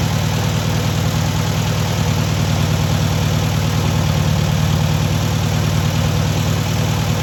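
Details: First start and break-in of a newly rebuilt air-cooled VW 1600cc flat-four: steady, even low-pitched idle with a smooth rapid beat, no knocks, misses or rattles; normal idle.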